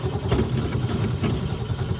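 Uneven low chugging as the engine cranks and struggles to catch, with sputtering firing; it starts hard.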